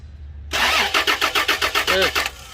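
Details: Toyota Land Cruiser V6 cranks in steady pulses, about four or five a second, then stops without firing; crank, no start, with the fuel pump relay under suspicion.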